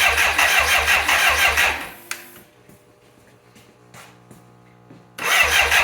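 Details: 1985 BMW K100 with fire-damaged wiring that sat six years, plugs just reinstalled. The starter churns in quick even pulses, stops, then churns again without catching: cranks but no start. A loose relay found later is suspected.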